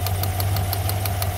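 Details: Chevy Silverado 5.3 V8, check engine light and tapping complaint: sharp crisp ticks about six per second over a steady idle with slight stumble; a spark plug wire fallen out of its coil is arcing, causing a misfire, not lifters or exhaust.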